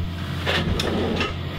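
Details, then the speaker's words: Western Digital WD5000AAKS hard drive (Tornado family) under a surface test for data recovery: a low motor hum broken by sharp clicks as the failed drive powers off at each sector; it will not image. "As soon as I power it on, the drive turns off."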